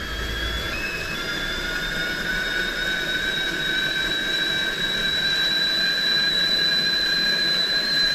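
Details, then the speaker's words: Old kettle heated on a long-unused Coleman camp stove, owner unsure its whistler still worked; steady piercing single-pitch whistle over soft hiss at full boil; whistler works. "i'm seeing a little bit of steam whispering out of there i don't know if the whistler works on that kettle anymore or not yep there it goes"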